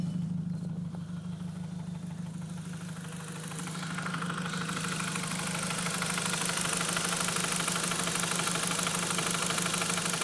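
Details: Audi TT 1.8T at idle with a regular tapping knock about three per second that started randomly; owner guesses timing or head related, cause unknown. Engine knocking noise.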